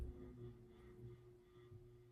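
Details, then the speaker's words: Casablanca Artisan ceiling fan (white and brass), noted loud control board and slightly warped flywheel: quiet running with steady mid-pitched hum of unclear source. "it does have a hum to it not sure what that's about but"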